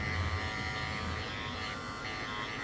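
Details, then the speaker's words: Andis Master cordless clipper after its cover lid was molded snug around the edges to cut vibration: even, steady buzz with no rattle. The fix leaves it running smoothly and quietly. "all you have to do is mold the covers feel touch around the edges and it's about as quite as I can make it"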